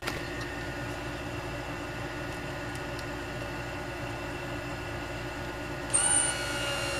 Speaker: okay back to normal maybe I didn't have that in all the way